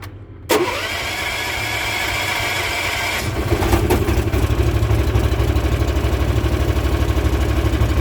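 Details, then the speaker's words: Machine with previously stuck choke now fixed, full choke, on battery tender, starts easily at -10 °C though cold-blooded; short crank, quick catch, steady even idle. Normal cold start and idle. "and this thing actually starts up at -10 celsius reasonably easy"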